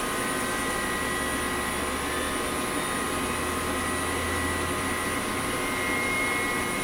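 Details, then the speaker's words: 1998 Pentium Pro and Voodoo 2 gaming rig with SCSI drives, fully loaded: a loud steady whoosh with several constant high whine tones; the Nidec Beta V front case fan makes much noise while moving little air. "that my friends is what an enthusiast system from the 90s sounded like it was fully loaded so this thing's pretty loud and i'm not quite sure how to feel about it"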